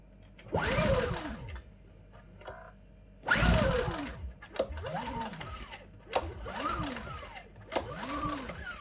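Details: New Champion 8200i dual-fuel inverter generator, made 03/22, first start on LPG from a 24 L tank: repeated rising-and-falling cranking pulls about every 1.5 s, engine never catches; cranks but won't start, cause unknown.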